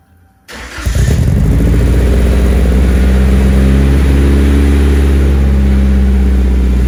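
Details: Nissan 240SX after installing new exhaust gaskets and a muffler on an ISR single GT exhaust, recorded in the garage; starts with a sharp bark, then a loud, even, deep idle with no ticking or puffing, so the exhaust leaks are fixed.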